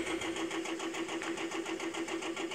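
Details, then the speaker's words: 2007 Chevrolet Silverado 5.3 V8 Vortec, 205,000 miles, idling after head gasket job and new lifters: loud sharp even ticking about seven per second from AFM lifters installed backwards and stuck, cylinders two and eight not moving. "that's because those lifters are in backwards if you hear that loud ticking noise that's your problem your lifters could possibly be in backwards you might want to check that"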